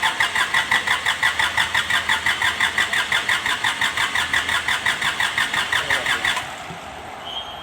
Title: Kubota D905 hard starting,luck of fuel and blowby